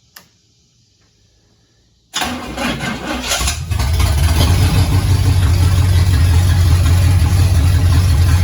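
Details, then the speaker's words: Barn-find 1969 Pontiac GTO 400ci V8 fed from a makeshift fuel supply: catches instantly and settles into a strong, even lope, responds well to throttle; sounds healthy, though the TH400 transmission needs a rebuild. "it sounds good likes the gas"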